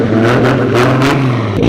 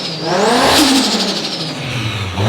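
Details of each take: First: Four-door Supra street car with a Tomei titanium exhaust, revving hard: loud, coarse, droning exhaust note likened to a VQ, far too loud; the titanium resonance is thought to be the cause. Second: Four-door Toyota Supra (straight-six) after exhaust upgrade: three clean rev blips, deep even exhaust note with no rasp or drone, no more trombone sound; healthy exhaust tone.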